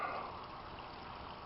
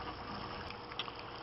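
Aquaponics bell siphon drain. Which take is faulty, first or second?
second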